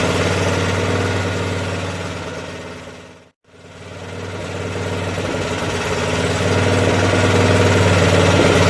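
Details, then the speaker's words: Craftsman 13hp OHV Tecumseh rear-engine tractor after the governor spring was moved down one notch to set rpm; steady even beat about four per second, no hunting or misfire; normal running, problem believed solved. "all right we can let it cool down i'm going to test it one more time seems fine i think we solved it"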